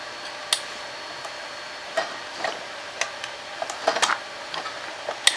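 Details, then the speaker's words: 1968 Eldon Industries Corvette remote-control car, barn find, battery installed: scattered light clicks as a bellows trips a switch, with no drive-motor hum; the motor isn't running. "Yeah I can hear it switching too interesting you can hear the switch eh it's clicking"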